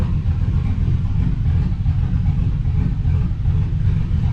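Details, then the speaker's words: GMC Sierra 5.3 LS V8 (stated as 2005 or 2006) idling on first startup after a broken lifter was fixed with a BTR Truck Norris cam and LS7 lifters, no muffler: loud deep rumble with slightly uneven lope, no ticking or knocking; healthy. "moves because that's too quiet even without a muffler."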